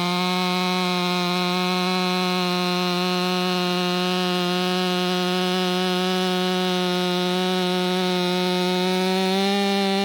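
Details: Ported Stihl MS500i (Empire Workshop) two-stroke on a 32-inch bar with an unmodified MaxFlow plug-and-play air filter holds a flat, strong scream through the cut, rising slightly at the end; pulls cleanly, healthy.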